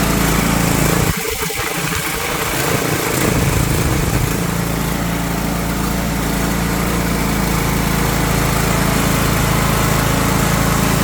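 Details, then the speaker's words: Craftsman riding lawn mower, Briggs & Stratton Intek engine, after replacing the fuel shut-off solenoid (model 846639) for a no-start: a short crank catches and settles into a steady, even low drone with no misses or knocks; normal running. "oh there we go good as new"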